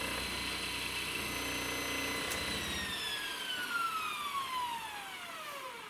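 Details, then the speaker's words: Boat's brushed electric motor, rebuilt after magnets came loose: high steady whine, then power cut and pitch glides smoothly down with no sudden stop, so no loose magnet; motor seems all right. "I'm just going to have to listen for if the motor stops suddenly instead of like slowly winding down that'll mean one of the magnets probably came loose again but seems all right at the moment"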